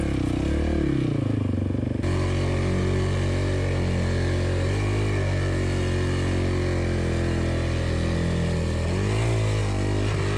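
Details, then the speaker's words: Bike about six kilometres into a deep riverbed crossing, water splashing over the ignition coil; it runs rough, stumbling, revs sagging and surging. Rider suspects the electrics got waterlogged: misfire. "when the water splashes up over my coil i would get a misfire and in this one you can hear it really misfiring i think the whole system got waterlogged"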